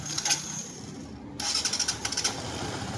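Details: NS126 FI after replacing the damaged starter one-way clutch and crushed needle bearing that caused the noise: quick starter whirr, engine catches and settles into steady idle with no grinding or slipping.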